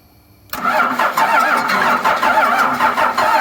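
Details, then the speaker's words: 12-valve Cummins diesel truck sitting nine years, first crank via relay jumped, used batteries: uneven starter chugging about three beats a second, turning over without catching yet; engine cranking. "moment of truth first cranking how many years nine years"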